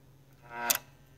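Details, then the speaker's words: Keurig K150P being diagnosed for a suspected faulty board: two crisp clicks about half a second apart as a solenoid valve snaps open then closed without hesitation; the solenoid is working properly. "yeah you can hear it closed right away open closed open closed"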